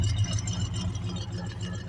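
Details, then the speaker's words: 1969 Ford Mustang Mach 1 V8, about 124,000 miles, winter cold start, choke on: deep, steady, even burble, no misses or knocks; normal cold idle on choke. "Look at that, it's gonna idle because I turned the choke on. It's a good running car."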